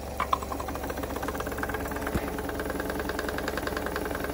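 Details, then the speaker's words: Wilesco D16 steam engine run on compressed air after lubricating: quick, even chuffing at a steady rate with no knocks or misses; running smoothly and well. "yeah if this sounds working well [Applause] everything's good"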